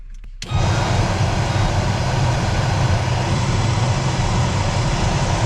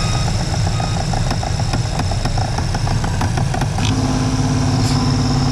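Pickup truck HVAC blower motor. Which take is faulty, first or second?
second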